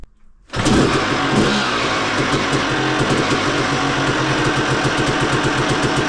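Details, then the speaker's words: Two-stroke motocross bike blasting out oil, with a badly done crank seal suspected rather than jetting: it fires straight up into a crackly, uneven idle. Rough running with smoke. "seriously think the crank Seal's not been done like it should have been done cuz that the amount of oil that's coming out of that it's not a jet problem that that's not a jet in the car problem it's too much it's just blasting it out"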